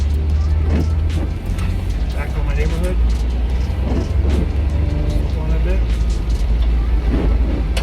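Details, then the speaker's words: Chevy Astro 4.3L V6 with a rain-related no-start (ignition module, coil, distributor, code P1351), after dielectric grease on distributor cap and module: steady, smooth, even rumble with no misses; normal running. "fire and also this sounds real smooth right now"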